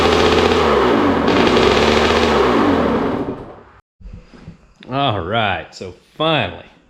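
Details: Rebuilt Kawasaki KX65 two-stroke dirt bike, put together from a basket of parts, running after a missed carburetor jet was cleaned to cure runaway revs; it revs up and drops back cleanly with a crisp, even exhaust note and no hanging revs; runs healthy.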